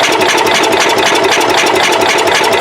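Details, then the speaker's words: Cub Cadet 108 after the points were sprayed with brake cleaner: quick, even starter churning that never fires; cranks but won't start, no spark even though the points are opening. "we're not getting any spark at all now i don't know if it's because of that brake clean or what now the points are working"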